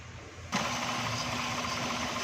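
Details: XLI 1.3 on CNG, engine cover off, which would not pull uphill on gas: rough, shaky idle with heavy vibration; misfire traced to oil-soaked plug wires and plugs on cylinders 1 and 2.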